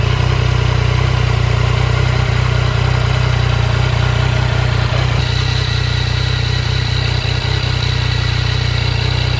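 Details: 2015 Yamaha FJ09 (CP3 three-cylinder) after clutch basket clunk repair and clutch free play set to 10–15 mm: steady even idle, smooth low thrum, no rattle or clunk — normal idle.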